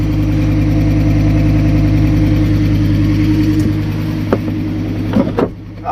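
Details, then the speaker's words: Fiat Stilo Abarth that sat unused for a very long time, just started and warming up with little coolant. Steady idle with a light quick tick, about three per second; valvetrain ticking blamed on long storage. "It might sound harder on camera, but the ticking sound is, yeah, the car has stood still for a very, very long time."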